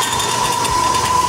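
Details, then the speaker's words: Ellis 1600 band saw, new, warmed up, motor running; fast uneven metallic chattering over steady hum from a loose metal panel vibrating against the frame. "this one sounds worse is that listen to that sounds like there's loose loose metal"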